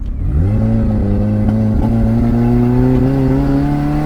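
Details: 1989 Toyota Corolla small body, free-revving after backfiring: revs climb with an uneven note and scattered pops and stumbles; misfiring under throttle, electrical fault suspected, mechanic's verdict a loose connection at a box, to be tightened.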